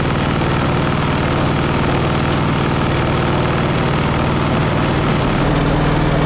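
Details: Pony engine of a 1945 Caterpillar D7 3T that sat over 40 years, restarted while the main engine won't engage: rough idle with fast, heavy, uneven knocking; glitter in the oil, air bubbles under the spark plug suggest compression loss, suspected to have locked up.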